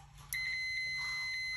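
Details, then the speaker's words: Fluke T6-1000 meter on the ohm setting with beep on, leads on the top and bottom of a windowless fuse. A click, then a steady high beep as OL clears: continuity confirmed, so the fuse is good. "All right, OL turns off, we have continuity, and beeps. So we're gonna do the top and the bottom, making continuity. This fuse is good to go."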